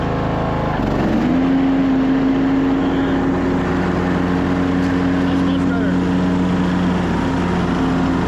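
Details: 2014 Craftsman T1600 lawn tractor with bypassed broken blade safety switch, after deck reinstall with tighter belt: engine catches and climbs to a steady, even drone holding with blades engaged, no belt slip or squeal; normal mowing.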